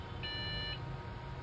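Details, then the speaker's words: Dell OptiPlex 7010 desktop with no display: clean high-pitched half-second beep from the board speaker, part of a repeating three-then-two beep pattern after a long beep; mostly RAM-related, RAM to be swapped first, then motherboard checked. POST beep code for RAM fault. "तीन बप आ गई है ठीक है तो इस तरीके से देखिए दो तीन दो दो दो के बाद में ठीक है तीन ब फिर दो ब इस तरीके की य बप आती है आपकी यू पीयू के अंदर ठीक है तो देखिए मोस्टली क्या होता है रेम सेक्शन से रिलेटेड ही होता है"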